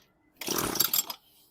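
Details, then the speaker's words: Weed eater with broken primer bulb, choke off, stop switch left on; one sharp pull-cord rattle under a second with no firing, no spark from switch on stop; later started, needs primer bulb, maybe carb clean. "Oh, I got it on stop. So, that would make a difference. It's not going to spark if I got the switch to stop."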